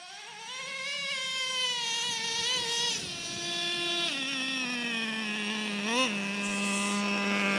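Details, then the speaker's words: Traxxas Revo 3.3 nitro RC truck, final tune after break-in, warmed up, idle set: small nitro engine screams up, drops cleanly at the shift into second gear and pulls on smoothly without stumbling; normal two-speed shift. "there second gear it's real smooth shifting let's listen for it"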